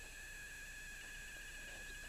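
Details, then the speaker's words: TrackMaster Salty toy engine motor powered by a battery: faint, steady high-pitched squeal with no movement, motor trying to turn but stalled. Owner suspects something jammed in the gears. Stalled motor squeal. "you can hear a faint squealing. And maybe he did that before, but I know there were some engines who did that, and I was kind of curious cuz like it sounds like the motor is trying to go, but it's not able to."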